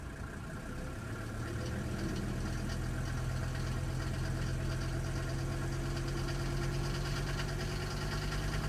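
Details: Mercedes OM602 five-cylinder diesel idling, about 1000 miles after injector rebuild and balancing with Monark nozzles: light fairly regular tick, about three a second, over low rumble; owner suspects lifter tick, not confirmed.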